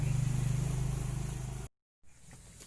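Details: Toyota Revo with 7K gas EFI engine: starter spins engine with even rhythmic chug for under two seconds, then stops without catching; crank no start.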